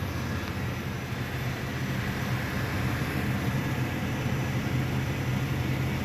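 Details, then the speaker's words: 1995 Cadillac Fleetwood V8 after a fuel pump, regulator and filter replacement cured hard starting: starts on the first key turn, then a steady, low, even rumbling idle with no stumble or misfire. A normal idle. "Alright, moment of truth. Just like that. It's exactly how it's supposed to start up."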